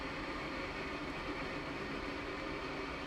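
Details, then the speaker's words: Panasonic Whisper FV-0811RF1 bathroom exhaust fan, newly retrofit-installed with cover on, running: soft, even airflow hum with no rattles, ticks or whine; quiet and working properly, a vast improvement over the previous builder-grade fan. "Vast improvement over my previous builder grade fan. I think this will work for us for many, many years to come."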